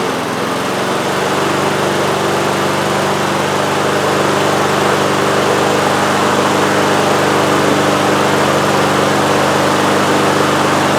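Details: Husqvarna HU800AWD lawnmower, Honda GCV190 single-cylinder, running without air filter to watch choke: steady, even, busy drone with no misses or surging; normal running.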